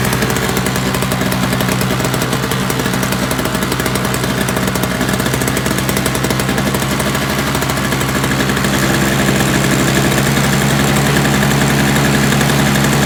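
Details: Toro single-stage snowblower, roadside find, missing primer bulb, gas with Seafoam added: steady, even two-stroke buzz holding constant speed with no surging, misses or knocking; the engine runs normally.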